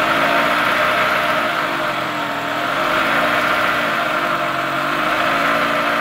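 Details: 2003 Toyota Camry engine, 200k miles, shredded belt replaced, tensioner not: idle with busy, regular top-end clatter about four per second, loud at different idles; lifters, camshaft and timing idler were the cause, and the engine was replaced.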